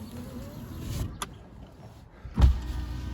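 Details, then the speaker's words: Proton Satria GTI power window motor runs with a steady, low hum as the glass travels, ending in a soft thump. It works, but quite slowly. "long works it'll be it quite slowly but it does work"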